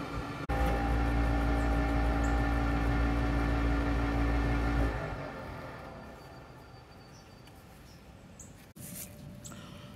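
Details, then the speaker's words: Gas pack furnace draft induction fan on heating startup, heard at exhaust port: steady low hum with droning tone, fading after about five seconds; owner suspects the fan, possibly corroded blades; abnormal noise, unconfirmed. "And so hearing the noise coming out of here and from this area here when the furnace is running, it makes me suspect that the draft induction fan has an issue."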